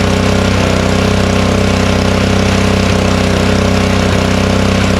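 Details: Honda snowblower, unused since the last snowstorm, fuel shut-off closed to run it dry for storage: steady, even small-engine beat at constant speed with no knocks or misses; running normally.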